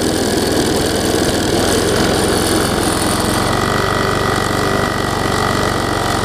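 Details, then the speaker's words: Quantum-powered 3.5 hp weed trimmer running on a newly fitted replacement carburetor that owner says is not perfect; fairly steady idle with a slightly uneven, wavering beat. Rough running from faulty carburetor. "okay so that carburetor is not perfect either you know"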